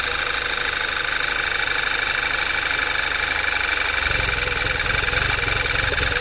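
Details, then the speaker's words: 2011 VW Tiguan 2.0 with check engine light, idling with the dipstick pulled: uneven, lumpy idle that sags and nearly dies, with a steady hiss of strong crankcase vacuum; needs a new PCV valve. "there's significant vacuum on this like sucking it back down and just running like dog cards so this one's gonna be kind of cut and dry uh it needs a new pcb"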